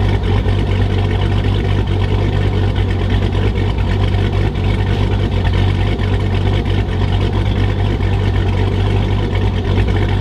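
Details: 2006 Chrysler 300 SRT8 6.1 Hemi at first startup after a stage 2 cam, valve spring and retainer install: deep, loping idle with a choppy, uneven beat from the big cam, steady throughout with no ticking or knocking.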